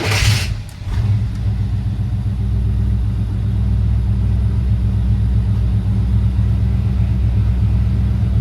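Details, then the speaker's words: K5 mail truck with true-dual turbo exhaust, after a $17 part fixed a starting and running fault (previously needed 6-7 starts and pumping, never stayed running): quick start that settles into a steady, even low idle without stumbling or dying. "This thing you used to have to start it like 6 or 7 times, and it would never stay running. You'd always have to pump it."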